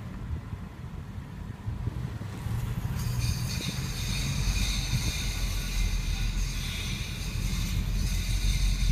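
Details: 2013 Ford Focus ST making a right turn: low car rumble, then a high, hissy whining layer after a few seconds of turning; unidentified noise.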